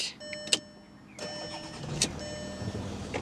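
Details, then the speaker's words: Second-generation VW Touareg 3.0 TDI V6 diesel, 105,000 miles, cold start after glow plug light: quiet, muffled, well-insulated hum with no timing-chain rattle or ticking — normal cold start. "Well, that was as quiet as a church mouse. No rattle at all."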